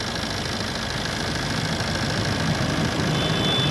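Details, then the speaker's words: Maruti Swift diesel after engine overhaul for a crankshaft noise: steady, even diesel clatter at idle with no knock or rattle after restart; normal idle. "Start ਮਗਰ ਪਾਕੇ ਗੱਡੀ ਕਰਤੀ start ਆਪਾਂ ਕੋਈ ਆਵਾਜ ਨੀ ਆਦੀ"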